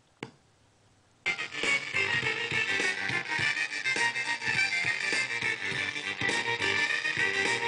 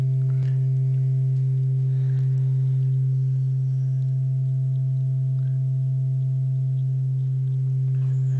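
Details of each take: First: Class B transistor audio amplifier with no bias current, music fed through an op-amp preamp: harsh, crackly, gritty sound on every note, worse at lower volume as less signal exceeds the threshold — crossover distortion. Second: Class B transistor output stage enclosed in an op-amp negative feedback loop to improve linearity, playing a sine test tone: a pure steady low hum with no buzz or crackle. Clean sine output.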